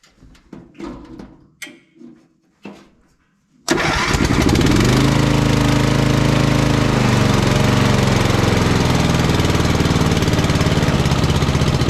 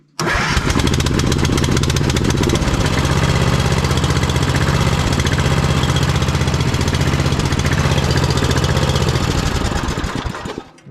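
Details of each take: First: Vintage Simplicity 3110 Cavalier riding mower with an 11–12 hp Briggs & Stratton engine, whose choke isn't moving far enough: a few cranking bursts, then it catches and runs steadily with no misses or knocks, before the throttle cable adjustment. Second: Vintage Simplicity Cavalier 3110 riding mower with 11–12 hp Briggs & Stratton, started on jumper pack after choke/throttle cable readjusted: catches quickly, then low, lumpy, slightly uneven beat; keeps running but won't settle into a clean idle.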